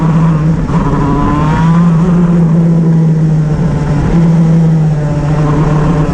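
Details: Shifter kart on an oval track, engine howling under load with a ragged, stumbling note and uneven pitch drops. Misfire under load.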